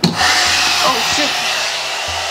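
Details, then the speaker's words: Returned hair dryer tested after doubts it would turn on: steady, even airy whoosh from the fan after switch-on, no rattles or dropouts; runs normally and modes work. "Whoa, look at the modes. Okay, it works."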